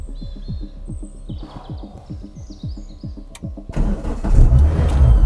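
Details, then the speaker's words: Renault Clio 172 started cold after spark plug and coil work; cranks, catches and flares up, previously revving to 4.5k like a stuck throttle, now sitting at 1,800 with squeaking/whistling; owner suspects something not sealed letting air in: high idle from air leak. "I don't know what that noise is, but it's sitting at 1,800. What's that squeaking noise? I've still got my hand over the key just in case. Something's not right."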